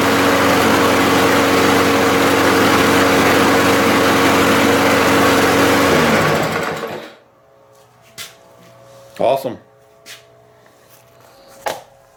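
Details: 2018 Briggs & Stratton small single-cylinder engine after the dislodged float pin was put back to fix a fuel bowl leak: runs smooth and even for about seven seconds, then winds down and stops cleanly; healthy.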